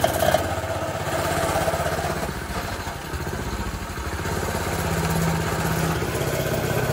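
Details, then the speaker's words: Coleman CT2000 mini/pit bike after swapping the blown original engine for a Harbor Freight Predator 212cc 6.5hp engine: quick even single-cylinder putter swelling with throttle, no knocks or misses, running better and faster on test ride. "it's getting better see how it's getting faster it will eventually stop i hope and start hurting like it's supposed to"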